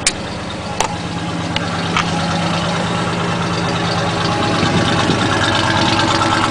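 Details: 1977 Chevy K10 stepside truck right after a cold start at about 30–35°F, unstarted for a week or two: steady, slightly fast V8 idle with even low rumble, no knocks or misses; oil pressure low but slowly rising.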